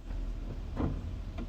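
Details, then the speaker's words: 2002 Toyota Sequoia 4WD in drive: a low idle rumble with a dull thump each time the brake pedal is released; cause unknown. "Whenever I take off the brake or whenever I I let off the brake pedal, you'll hear something like release or I I don't even know how to put it."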